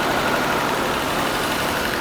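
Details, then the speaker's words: 1982 Mercedes-Benz W126 280SEL after fuel distributor repair and fuel pump replacement, first cold start: steady, even cold idle with constant hiss, no stumbles or hunting; cold enrichment (warm-up valve) working normally, normal cold idle. "So because it's cold. The heating valve's cold enrichment function is normal."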